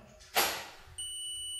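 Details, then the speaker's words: Mobile phone speaker tested with multimeter on beep setting, probes on both speaker points: brief probe scrape then a steady high continuous beep; continuity present, speaker coil intact. "अभी ये एक ही wire होने के नाते इसमें भी beep की आवाज आनी चाहिए।"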